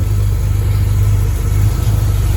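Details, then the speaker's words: 1983 Chevy Silverado, still warm, after fixing an exhaust leak where the exhaust was touching: deep, steady idle rumble with an even beat and no rattles or leak puffing; normal idle. "you unleaked it oh that's a lot better yeah it was driving me crazy"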